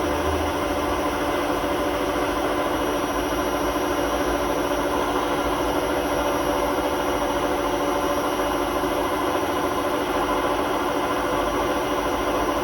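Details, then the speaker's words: Hotpoint WMA32 washing machine on a spin at 800 rpm in its last run before new bearings; steady coarse rumble throughout; drum rubbing the bearing seal, bearings practically gone; worn drum bearing rumble. "the drum is basically rubbing against the bearing seal. So the bearings are practically gone in the machine, so we've had to order some new ones."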